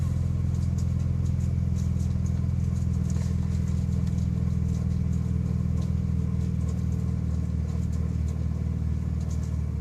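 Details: Manual six-speed gearbox at idle; constant low drone with a fine, fast chatter on top; transmission rattle, cause unknown.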